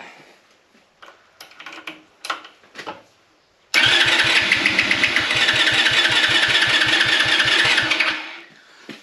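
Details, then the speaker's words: Vehicle cranked with Topdon JS2000 jump starter on boost, fuel supply not turned on: starter spins engine briskly about four beats a second but never catches. "although Vera didn't start mainly because I haven't turned the bleeding fuel on although Vera didn't start as you can hear she did turn over"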